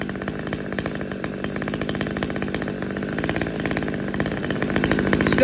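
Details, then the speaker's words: Husqvarna T540XP chainsaw that wouldn't idle and shut off, after coil-to-flywheel gap found too wide and corrected: rough, uneven buzz with idle creeping upward, better than before but not steady; unstable lean idle. "you can kind of hear the idle coming up it's better than it was"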